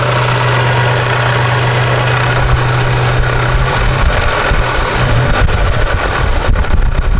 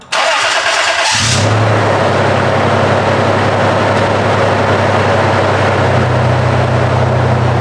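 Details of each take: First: Toyota 4Runner idling after flex plate replacement: a steady hum with a light, irregular metallic rattle from the front of the engine. It is suspected to be the timing-belt-driven water pump, which is why removing the accessory belts had no effect. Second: Toyota 4Runner after a new timing belt and water pump, the water pump being the suspected noise source: a brief crank, then a smooth, even idle with no ticking or whine, still quiet once warmed up; normal idle.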